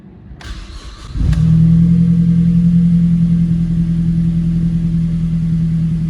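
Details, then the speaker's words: Turbo Mazda after timing chain and VVT replacement, restart once high-pressure fuel pump reconnected; warning light still on, codes not cleared: brief crank, catches at once, smooth steady drone, no knock or misfire; sounds healthy. "hey sounds better though sounds good sounds like a good engine to me"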